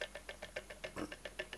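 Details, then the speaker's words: Toyota Prius four-pole motor on test rig, run very slowly by 12-step commutation controller; each click is one step, 12 per phase rotation, 48 per revolution. About a dozen crisp evenly spaced clicks in under two seconds: normal commutation clicks. "so each click that you can hear is actually one of 12 steps so you should hear 12 steps for each phase rotation"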